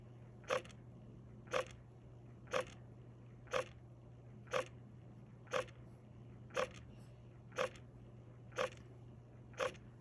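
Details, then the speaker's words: Frigidaire FFHS2622MWF side-by-side refrigerator not cooling: damper control motor energized but stalled, faint steady hum with a sharp click about once a second, damper stuck closed blocking airflow; ice found in vents; fix is replacing damper assembly. "I want you to hear the noise that it makes so you'll know what to replace even though it's getting it's being energized but it's just not opening so the refrigerator is not cold so take a listen"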